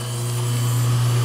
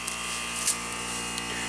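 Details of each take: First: Bryant heat pump outdoor unit: outdoor fan motor spins with an even, steady hum, no scraping or rattle, when its black wire is fed L1 directly. Fan works; control board isn't feeding L1 to ODF BLK terminal. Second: Bryant heat pump outdoor unit in heat mode (64°F inside, 36°F outside): steady electrical buzz with no fan whoosh. The compressor runs while the outdoor fan doesn't, which stops heat transfer across the coils.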